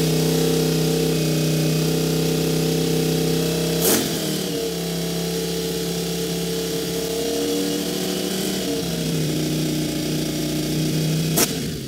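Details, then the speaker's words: Honda VFR750 V4 just after carburetor install holds a fast, steady high idle that dips briefly but won't settle, throttle sticking slightly open. "throttle is sticking a little bit open i told you i had to stick them before it was just cracked up here but i had to bring the idle down"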